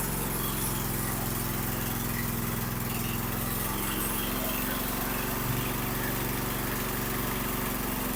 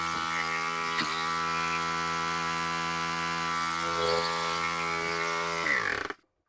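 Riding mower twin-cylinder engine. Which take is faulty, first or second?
second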